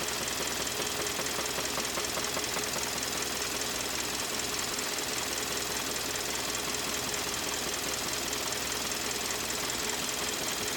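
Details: 2013 Kia Optima with code P0014, hard steady metallic knocking over two beats a second; engine later failed and was replaced under warranty.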